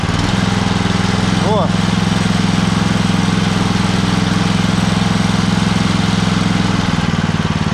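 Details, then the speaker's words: The other engine on a home-built machine with a poly-V belt drive: a loud, buzzy drone with a heavy, throbbing low shake; it vibrates very strongly, with a crunching noise heard. Strong vibration. "поэтому него их ложь акт отвалился очень все сильно вибрирует"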